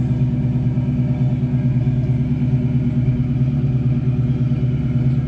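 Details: 1968 Mustang V8 with new Flowmaster-style mufflers and GT tips, sealed, doesn't run hot: deep, steady burbling rumble with even pulse, no knocks or misses. Normal idle.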